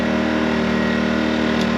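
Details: New Harbor Freight Predator 2000 W generator, oil topped up to full after apparently shipping dry, at full throttle with no load; steady, even high-speed drone with no knocks, surging or rattles; runs healthy.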